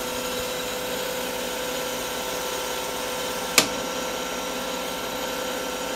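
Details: CBN insert turning a sintered tungsten carbide end mill shank on a lathe, feed 0.03 mm/rev, 0.05 mm depth of cut, first pass: even steady whir, clean constant tones, one brief click midway, no chatter or squeal; smooth cut, good finish.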